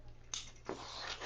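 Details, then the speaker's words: Bicycle frame flexed by hand: soft dry creaks in short bursts from a dry seat post head. "this is making noise at the post,"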